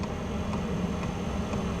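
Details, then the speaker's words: Vevor CY5003 diesel heater on lowest setting in uninsulated shop; soft even fuel dosing pump ticks about twice a second over low burner rumble, normal operation. "it's not too loud you know we're running on the highest setting kick it all the way down on its lowest setting you do hear the ticking of the"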